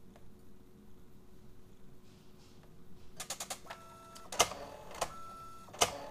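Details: Canon Pixma iP90 inkjet printer at power-on with the cover open: quick clicks, brief motor whirs and sharp clacks while the main shaft roller never turns, then an error.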